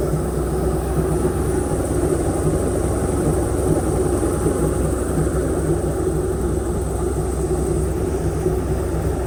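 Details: Airboat V8 with an upgraded cam, previously idling about 700–750 rpm, vacuum gauge fitted, warming up before carburetor mixture-screw adjustment: steady, even low rumble at idle, no misses, knocks or surges; running smoothly.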